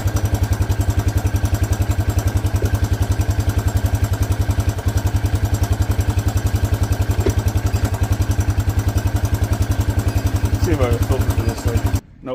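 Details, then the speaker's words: 1984 Honda Big Red four-wheeler after fuel line fitted: single cylinder idles with a steady even thump about three and a half beats a second, no misses or knocks. Normal idle. "She purrs like a kitten. I mean, he told me this thing has always ran really good."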